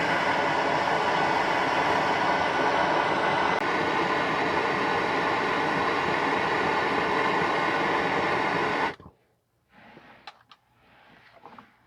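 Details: 2015 Toyota Sienna AWD 3.5 running: loud steady hissing rush of exhaust leaking at the rear (secondary) catalytic converter joints; repaired by replacing donut gaskets and bolt spring kit on both sides.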